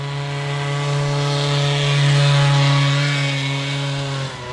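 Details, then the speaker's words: Old Bigfoot GoPed two-stroke that sat over 4 years, now running much better after the carburetor air adjustment was tweaked. Steady, smooth, even high buzz with no stumbles; running well. "actually sounds a lot better now it definitely seems to be like he had to adjust the the air on the open and close because now it's actually running a lot better than it did"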